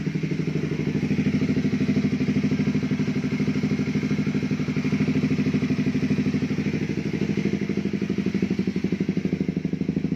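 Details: Honda CB150R, engine rebuilt three times, balancer gear and bearing housing worn: even, steady single-cylinder idle thumping about three times a second, no knocking or clatter on top; now runs reasonably healthy.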